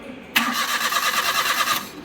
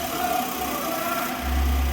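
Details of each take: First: Maruti A-Star with cylinder 1 misfire (P0301) from a loose spark plug and damaged coil, after the plug and coil work: the starter cranks evenly but the engine never fires and no light shows. Mechanic suspects a blown ignition fuse from touching wires. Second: Maruti A-Star after repairing cylinder 1 misfire (P0301) from loose spark plug and damaged ignition coil: smooth, even idle with slight rev lift, no stumble; firing on all cylinders.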